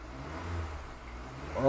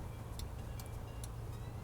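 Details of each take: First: Kia Optima after first rod bearing replacement, thick oil kept for break-in: steady low engine note then clean smooth climb in pitch on throttle, no rod knock; shifting better, repair worked. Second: Kia Optima engine during a DIY rod bearing repair: low rumbling idle with sharp metallic knocks about every 0.4 seconds, tracking engine speed. Rod bearing knock confirmed before teardown.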